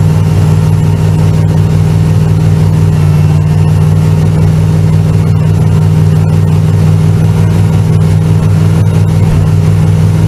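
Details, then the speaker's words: Chevrolet Z28 after rebuilding its computer-controlled Quadrajet carburetor to fix stalling, first start: big V8 holds a steady fast idle with a deep drone and never drops to a normal idle; idle speed still too high. "still the same issue obviously unless it's gonna need the sun to work itself out the high idle is way too high clearly"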